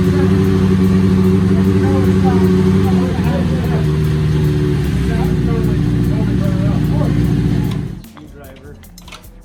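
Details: Honda CB750K four-cylinder motorcycle engine, freshly rebuilt, just installed in the frame with fluids checked, first startup: strong, even beat holding steady through the revs, then a clean shutoff. Sounds great, a healthy rebuilt engine.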